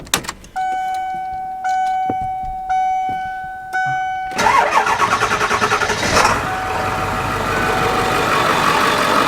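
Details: Ford 7.3 diesel van after vacuum pump replacement and serpentine belt refit: a few warning chimes, then the engine catches and settles into a steady, even idle with none of the earlier noise. Normal start and idle.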